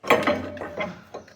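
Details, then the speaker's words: Renault Vel Satis rear suspension, sharp creak rather than knock: rocking the rear spring by hand gives sharp metallic clicks and a short scraping crunch; found a broken coil spring. "Yes, that's our noise. And that's our problem. That is a broken spring."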